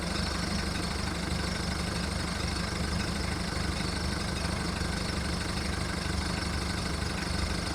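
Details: VW Golf mk1 1.9 TD turbo diesel warming up after first cold start following 5 months storage: heavy uneven low idle clatter that knocks and shakes without settling; rough idle.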